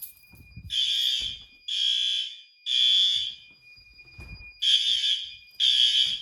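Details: May fire alarm test: building fire alarm horn sounds in roughly one-second blasts with short gaps, about six, steady pattern; alarm working as it should.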